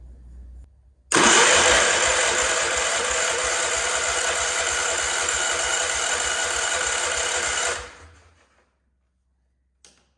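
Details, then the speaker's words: Wheel Horse C-120 garden tractor small engine, first run after sitting, once fuel was drawn up and spark confirmed: it catches and holds a steady, even buzz for about seven seconds before shutting off; runs smooth and healthy. "How nice does that sound for a small engine? That was really good."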